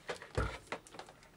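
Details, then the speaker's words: Memotech MTX500 power supply shaken before opening: a few quick plastic clatters from something small loose and rattling inside, stopping the machine from being tested; loose part rattling. "I think you can hear it something is loose inside something rattling around so"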